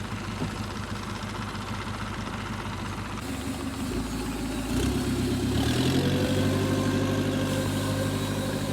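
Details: Nissan CDA20 90hp marine inboard (rated 90–105hp, old original engine) driving a Z-drive sterndrive with integrated forward/neutral/reverse gearbox on a newly assembled 6.30m boat, first launch test; even idle about three pulses a second rising smoothly with throttle, running cleanly.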